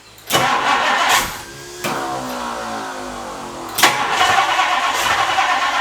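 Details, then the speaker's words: 1962 Ford Thunderbird Landau, 390 cu in V8, sat several years, after fuel line cleared: strong uneven cranking bursts, no firing; crank no start, fuel pump suspected. "You saw I got a good crank. I got a good crank out of that, and it just wouldn't start."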